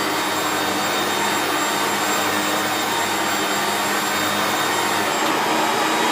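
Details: 1994 Hoover Turbopower 2 U2462 upright bagged vacuum with an 800W motor and no autosense: steady, even high-pitched motor roar with no surging, rattles or grinding. Normal running.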